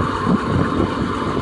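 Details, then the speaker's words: 1989 Jeep Cherokee 4.0L I6 auto, just started on new replacement starter after old one failed from water submersion; even, steady low rumble, no misses or knocks, some wind on mic; normal idle. "Hooray! Things are running again."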